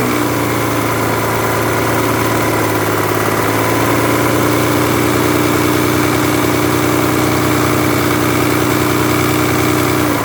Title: Стук в двигателе mazda millenia kl 2.5